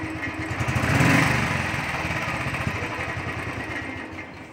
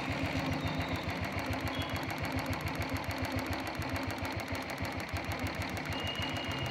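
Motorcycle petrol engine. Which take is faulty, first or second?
second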